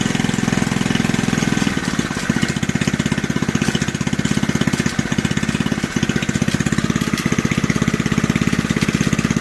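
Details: Old junkyard Briggs single-cylinder from reel mower, throttle about one third above idle: fast even beat with loose metallic clatter on top; owner says old recoil starter is making the racket.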